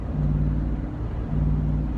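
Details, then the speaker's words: Car with repaired, rewelded header and exhaust cutout closed, driving in town after a light non-full-throttle pass: deep, even exhaust rumble at steady cruise with no ticks, knocks or rattles; sounds healthy. "sounds happy sounds good got the cutout close because we're in town right now"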